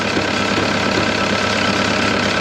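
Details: Caterpillar 299 compact track loader diesel idling after fuel pump replacement: steady, even constant low rumble, no stumbles or misses; runs smoothly, about the same as before the pump change; AC compressor belt noted loose.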